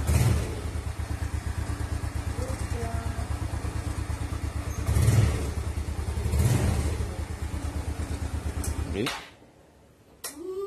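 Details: Small single-cylinder motorcycle after it had stalled; the old spark plug was burnt clean on a stove flame, gapped to fingernail thickness, and the valves adjusted slightly looser. It thumps evenly at idle, picks up cleanly on two short throttle blips, then is switched off; runs sound.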